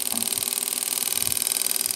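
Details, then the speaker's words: Lens-assist generator pulse motor with the transistor replaced by a fixed reed switch, two magnets removed and 8 V less: fast, even light clicking as the rotor spins up; the reed switch is firing cleanly and speeds up as RPM builds. "so what we'll do now I'll plug her in and we'll start her up as you can hear the little ra relays clicking along"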